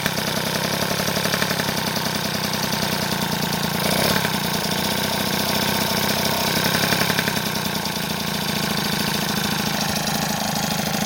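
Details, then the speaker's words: Freshly assembled 70cc Transval T3/T5 two-stroke engine with the variator spinning true: a steady, even burble holds its revs without hunting, a stable idle showing no air leak after sealing with gasket paste. "le régime est stable ça c'est cool ça veut dire qu'il y a pas de prise d'air"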